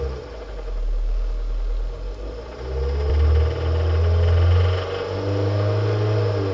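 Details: 2005 Hyundai Sonata 2.4 L (119 kW) engine revving: a low rumble rising and falling with a deep knock underneath; worn crankshaft bearings, fixed by replacing them.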